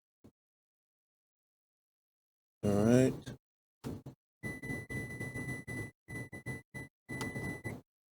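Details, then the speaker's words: Toyota warning buzzer triggered on and off through a Techstream Active Test: a clear high beep switches on and off about four times, each burst a steady tone, so the buzzer works normally. "hopefully you can hear the beep you can trigger the beep on and off up to the test"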